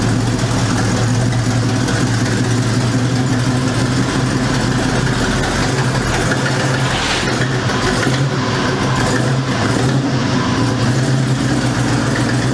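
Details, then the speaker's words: 1973 Ford Mustang Mach 1 351 Cleveland four-barrel V8, converted to four-speed manual, at high idle: steady deep rumble with faint puffing exhaust edge, more noticeable when clutch released; exhaust manifold leak. "I had it idled up kind of high so if you can't hear the exhaust leak especially when you let out the clutch"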